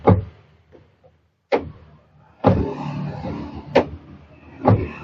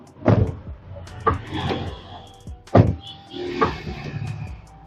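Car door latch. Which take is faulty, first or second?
second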